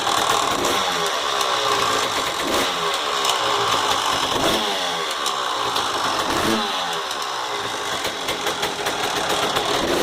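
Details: 1999 Honda CR250R: crisp two-stroke idle with a busy, uneven metallic rattle about four per second over it; source unclear.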